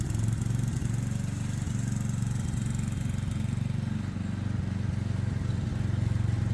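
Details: Ride-on mower engine mowing under load, overdue for an oil change and on a temporary air filter: steady low drone with even firing, no misses or surging; running well enough.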